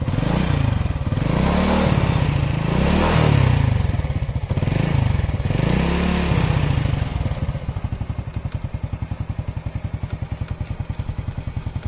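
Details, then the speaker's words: 2008 Honda Supra Fit X, 16 years old, a small single-cylinder idling in neutral with no white smoke. A fast, light sewing-machine tick sits over the thump. The owner suspects the rocker arms or valves, unconfirmed. "Ini yang tadi gue bilang ya, ada suara mesin jahit gitu. Ini dari pelatuk atau klepnya."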